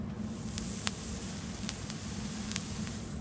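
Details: Vape coil fired in tank: steady soft sizzle with only a few faint ticks, no popping or spitting, unlike the popping stainless build before; coil firing cleanly and evenly.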